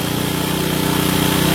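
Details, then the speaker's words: Honda Supra motorcycle with air screw at 1.5–2 turns: fast steady buzzing idle staying high with throttle released; pilot jet too small, possibly after engine bore oversize past 100. "Jadi dibuat 2 putaran atau 1,5 putaran, itu gasnya sudah dilepas, setelan gas itu gasnya masih besar. Itu tandanya pilojet kekecilan."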